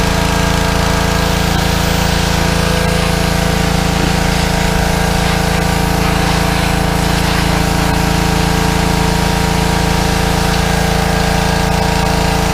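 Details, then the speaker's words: Small petrol engine on a fairly new pressure washer, after carburetor cleaning for suspected fuel starvation from dried ethanol gas (clogged bowl screw jet) following over a year sitting, holds constant revs, no misses or knocks; normal running under load. "That's making a treat now, Aaron."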